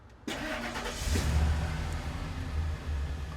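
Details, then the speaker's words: 2003 Ford E-350 van, cabin microphone, handheld: short crank, then it catches at once and settles into an even, steady low rumble with no misses or knocks; healthy start, sounds pretty good. "Nice. Sounds pretty good, right?"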